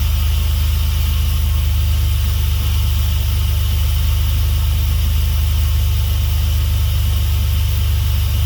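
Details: Swapped Dodge 3.7 V6 in a truck, running after new crank and cam reluctor rings fixed a no-start. Steady low, even drone with a regular pulse and no knocks or misses: smooth, healthy idle.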